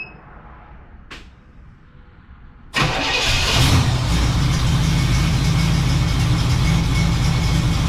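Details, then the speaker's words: 1967 Cadillac Coupe DeVille V8, first start after sitting about a year, jump-started after several tries; catches at once and settles into a strong, steady, even idle with no tapping or misfires, sounding as it should. "okay hold up that's what you should sound like"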